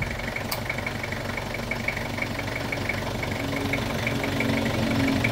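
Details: Toyota Revo diesel after replacing the AC compressor (old one had noisy, damaged pulley bearing), dryer and belt: steady even idle rumble, no grinding or squeal from the new compressor.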